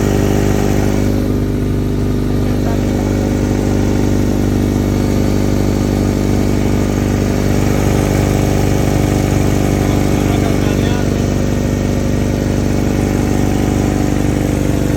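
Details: 1994 Honda Accord (F22) after rod knock repair: petrol engine idles steadily with an even low rumble and no obvious knocking; normal idle.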